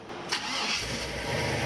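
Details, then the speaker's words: 1977 Chevrolet K10 shortbed swapped to a 5.3 L LS V8, after getting the fuel pump running and cycling it to purge air; a brief crank, then a clean catch into a steady, even idle with no misses or knocks and no fuel leak. "There's the LS we know and love. Perfect. Doesn't look like we got any fuel running out the bottom."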